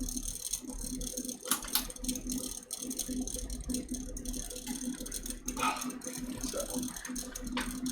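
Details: Custom watercooled PC (MSI Z390, i9 9900k, 2x RTX 2080 Ti Sea Hawk, EK RGB fans): light buzzing rattle coming and going over steady fan hum near 250 Hz; likely a loose or rubbing fan, unconfirmed.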